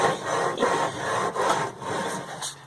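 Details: Penguin after sitting for years, engine turned by hand: dry rasping scrape in bursts from rust still rubbing under the magneto rotor, which should be removed and cleaned out.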